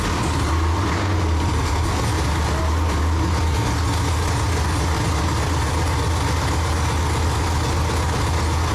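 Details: Freshly built forged 6.0L V8 with LSA supercharger for a 1969 Chevelle, first start: deep, steady idle with an even, smooth rumble and no knocks or misses; running healthy.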